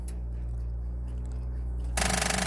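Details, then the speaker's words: 1999 Honda CR-V no-start: quiet hum, then a fast machine-gun rattle of starter solenoid clicks, about fifteen a second, without cranking; caused by corroded battery cables despite a new battery and good starter, fixed by new cables. "if you're having this problem and it just gives you that machine gun sound you know T it's not just the one click but it's the rattle t what's usually going on is you have a low battery that's usually the problem"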